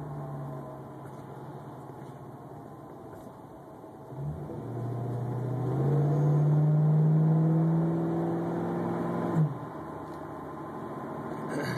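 A whine rises and falls in pitch over the running vehicle for several seconds, then cuts off sharply; source not identified.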